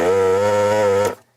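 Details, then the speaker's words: Hakko 808 desoldering station's vacuum pump runs about a second while desoldering capacitors from an old CRT analog board; steady, healthy buzzing hum whose pump sound changes more dramatically than on the owner's other Hakko; normal pump running. "So this one, the pump sound changes more dramatically than on my other Hakko."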